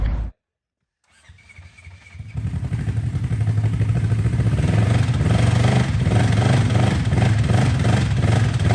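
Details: Custom rock bouncer side-by-side bought sight-unseen at online auction, seller claimed it worked; starts after a brief pause, then runs rough and uneven with a dull low knock under the exhaust, pointing to worn bottom-end bearings.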